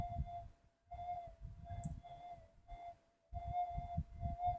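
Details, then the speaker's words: GPX-5000 detector awaiting upgrades, switched to mono timing: threshold tone keeps dropping out and swelling back with low thumping between, unstable hunting; the 5000s seem noisier than the GPX-4500s. "It's hunting. I always said these 5s are more noisy than the 45s."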